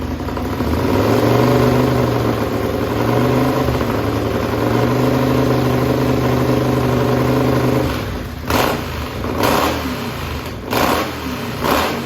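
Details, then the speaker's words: Racing lawn mower twin-cylinder engine on methanol, cold and hard to start: very loud steady beat then sharp throttle blips climbing fast and dropping back cleanly, revved to about 9,400–9,500 rpm; healthy, crisp. "like I said that thing is really loud when I was Reed up it was like about 94 9500 RPM"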